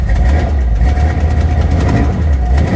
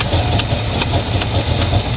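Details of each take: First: Carbureted V8 at a salvage auction, started after a few throttle pumps. Deep, even rumble swells and settles with each rev, with no knocks or misses: a healthy V8. Exhaust is dumped. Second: Carbureted engine at idle, leaking fuel from a throttle blade seal: rhythmic puffing hiss about twice a second over a rough rumble; suspected vacuum leak, not confirmed.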